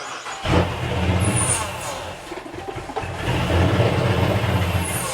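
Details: 2020 Dodge Charger Pursuit AWD 5.7L V8 with a Hellcat supercharger swap, first start attempts: long crank, brief catch and surge, then stumbles and won't idle; flooding suspected, throttle position and barometric pressure codes stored.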